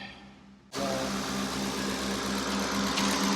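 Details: 2007 Ford Expedition EL with 5.4L Triton V8, started after replacing the bank 2 valve cover gasket. Starts abruptly, then holds a smooth, steady idle with an even low hum and no ticking or knocking; good oil pressure, no warning lights; normal idle.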